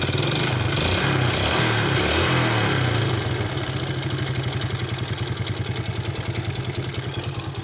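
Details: Yamaha Vega ZR motorcycle with rough, noisy engine: harsh, busy idle with fast steady clatter about three knocks a second.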